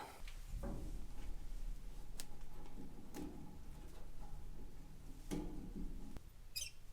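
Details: Traditional Ford hot rod started from inside the car after tank repair: low, uneven lumpy beat stumbling and missing under sharp knocks; runs poorly because the gas tank valve was left off.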